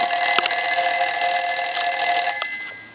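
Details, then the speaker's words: Western Electric 354 wall telephone after repair, final checkout with hook switch held: clear, bright bell ringing in a quick even trill, about four strikes a second, then fading; ringer healthy, bells previously loose and readjusted. "i'm going to put something in the hook switch and i'm going to go ahead and ring the telephone"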